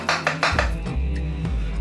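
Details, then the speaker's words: Completely worn control arm ball joint on a VAG-group arm (Audi 80 type), rocked by hand front, back and sideways: four quick metallic clunks, knocking in all directions. "teraz ruszam sworzniem całkowicie uszkodzonym puka na wszystkie strony przód tył lewo"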